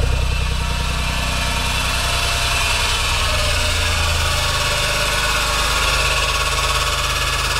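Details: Horrible abnormal engine noise, cause undiagnosed despite good compression, correct timing and VTC solenoids checked as working. Harsh drone with a loud hissing, rattly top end over a low pulse that drops as revs settle.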